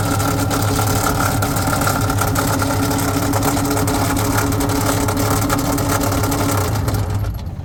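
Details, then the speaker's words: 2005 Yamaha GP1300R fuel-injected two-stroke jet ski running on the flushing hose: loud, raspy with a fast, uneven clatter; really bad knocking noise, cause unknown, to be checked later. "It's got a really bad knocking noise in there. We don't know what's wrong with this."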